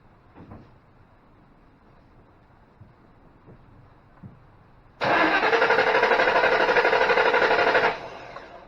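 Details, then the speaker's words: 2005 Ford Mustang GT that drove to work then wouldn't start: three seconds of even cranking that never catches; scan tool shows excessive mass airflow, so it dumps fuel and floods; faulty MAF sensor suspected. "so with excessive mass airflow registering it's dumping gas in trying to get it to start"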